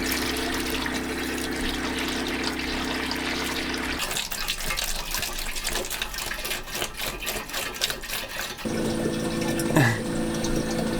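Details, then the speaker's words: Diesel heater/hot water system (DH15) on wooden boat during first start and coolant bleed: steady pump hum with gurgling, splashing water and air bubbles, coolant spitting out top; loop circulating while purging. "oh it's spitting out the top now so coolant is circulating yes"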